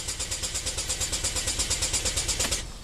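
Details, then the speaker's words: 2012 Chevy Equinox with code P0615 starter relay control circuit, failing after an aftermarket alarm was installed then removed: fast even starter chatter about nine beats a second with no firing, then cuts out; crank no-start. "Crank no start after they tried installing an aftermarket alarm system."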